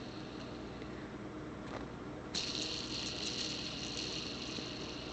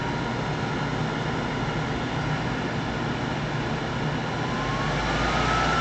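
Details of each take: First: Bearing from a General Electric universal motor out of a World Model A hand dryer, spun by hand on the bench after solvent cleaning with no grease: a dry, hissy, rough whirr; it needs repacking with grease. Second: World Model A hand dryer, General Electric universal motor fired up on the bench, heater disconnected: rushing blower with a motor whine climbing during spin-up, then holding even and smooth; healthy.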